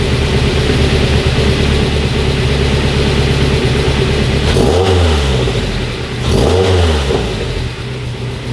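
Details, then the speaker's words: Mazda NC Miata with swapped 2.5 engine, first start after no-start traced to gummed, clogged 2.5 injectors, now running 2.0 injectors, recorded from behind the car: steady, even note with two clean, quick rev blips rising and falling smoothly; normal idle and revving. "Otherwise, everything sounds good, runs fine, at least idling and everything."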